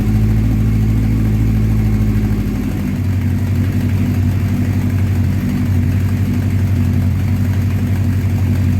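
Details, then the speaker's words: 1984 Honda CB700SC Nighthawk after carb cleaning, cold after sitting at 30 degrees: slow lumpy idle, low steady thrum sagging after a few seconds; idle set too low, possibly adjusted in summer. "all right guys um I definitely got to turn that idle up because uh it seems like it's too low or it might have been adjusted when it was hot out like during the summer"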